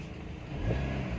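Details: 2017 Kia Picanto with no-crank no-start: quiet steady idle, then a clean quick blip that rises and settles without stumbling; starts and revs normally.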